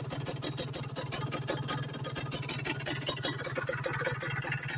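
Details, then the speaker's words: Two-stroke motorcycle after pilot jet and main jet setting, idling at about 1000 rpm. Even, crisp popping at around five beats a second with no misses or knocks. Clean idle, and the jetting sounds right. "Nah Oke kita coba hidupkan motor ini ya kita mulai dari posisi ideal atau langsam"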